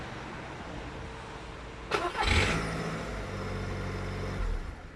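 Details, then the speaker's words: Skoda Fabia 1, cold start the morning after starter brush replacement and greasing, phone outside the car: short clean crank, then quiet steady idle; the noise after starter disengagement is gone. Normal cold start. "huh so i hope you can hear it that the sound is gone and um yeah so let's consider the starter repaired everything seems to be fine it's not making that sound anymore"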